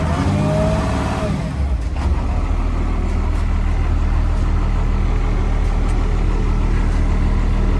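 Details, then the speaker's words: Unit 8914, started for a listen before shutdown: a deep steady idle with an even beat and no knocks or misses. It sounds good. "We'll leave it up real quick before we shut them all down. That one sounds good though."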